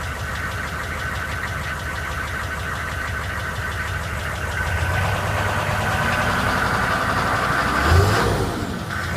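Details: GM K2500 6.5L diesel running first time in a year; steady idle with fairly even knock roughly four per second over the clatter, cause not yet clear: engine knocking at idle.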